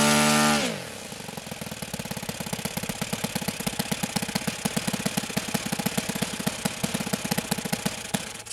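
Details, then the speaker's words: OS FS-91 Surpass four-stroke nitro RC airplane engine after leaning low-speed needle: steady popping idle about three beats a second slowly sagging, with smoke; low end still slightly rich, needs another adjustment. "of smoke steady decline of rpm is still a little bit rich on the low end so we'll fire back up and make another adjustment"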